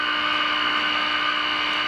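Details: GE radio converted into an AM transmitter, working after swapped 50C5 and 35W4 tubes were corrected, on a Variac at 100.4 V drawing about 170–180 mA: a steady, clean single-pitch tone at 30% modulation, no crackle, with the second IF peaked.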